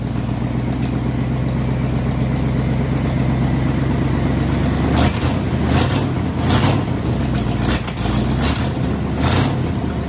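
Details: Ford Y-block V8, garage rebuild with a rehone, just started after fixing plug wiring and TDC errors; low steady rumble with a few throttle blips, no misses or knocks, idling smoothly though still needing tuning.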